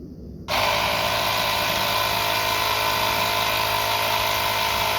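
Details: Lokithor JP400 jump starter's built-in air compressor, just after cranking the Jeep, inflating a tyre from 0 PSI toward 36 PSI: steady even buzzing drone, no knocks; runs normally about 8 minutes before thermal shutoff.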